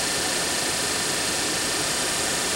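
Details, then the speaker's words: Daewoo Nexia heater blower motor after a brush repair (worn brushes had caused lost speed then failure), run at what is taken to be maximum speed: smooth, steady rushing airflow with a faint constant whine and no rattles or dips; it blows well. "вот так вот в принципе про обороты у нас тут не повышаются я так понимаю это максимальные Ну дует вообще прилично"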